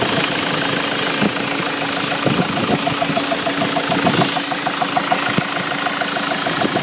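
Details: Ford Mk7 Transit diesel at idle: sharp, unevenly spaced knocks about once a second over a steady idle; cause not determined.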